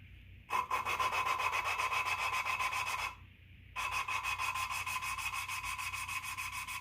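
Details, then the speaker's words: 1991 Dodge 360 LA small-block roller-cam cylinder head, valves in rough shape lapped by hand with liquid wrench: rhythmic rasping strokes about four a second, grinding tone changing as the seat beds in. "if i don't know if you can hear it but you can hear the difference in tone as it's grinding itself down"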